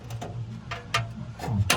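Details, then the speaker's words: 2009 Toyota Corolla 1.6, stainless exhaust: heat shield above the muffler dropped onto it after its washer pulled through the hole, making tinny uneven metallic clacks while driving; fix is a wider washer. "Вот это упало и такой звук когда едет она постукивает"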